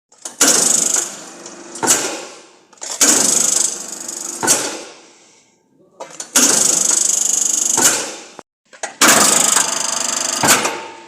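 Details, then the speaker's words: Machine-tool electric motor runs up in bursts with a harsh crackling rasp on each start and a clack at stop; fan impeller catching the brake, fixed by adjusting the gap with a screwdriver. "сняли кожух ещё раз проверяем банально крыльчатка цеплялась за тормоза поправил зазор с помощью отвёртки"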